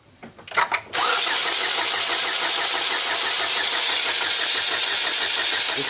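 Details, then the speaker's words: 2007 Chevy Cobalt 2.2 L Ecotec after a serpentine belt install: steady starter churn for five seconds, never firing, with spark and fuel pressure confirmed. Crank no-start, cause traced to a corrupted fuel trim setting. "not firing at all"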